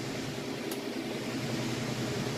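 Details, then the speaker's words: Crosley washer on spin cycle at full speed with a heavy load of jeans and towels: smooth even whooshing hum, low steady drone, no thumping, banging or shaking; spinning normally. "Sounds good. It's working great."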